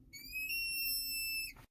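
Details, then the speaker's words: Vehicle with vacuum brake assist: pressing the brake pedal hard brings a steady high-pitched whistling squeal, like a child screaming under the dash, for about a second, then it cuts off; the brake booster is leaking vacuum. "customer states that when you push on the brake pedal really hard it sounds like there is a child screaming under the dash i'm not lying"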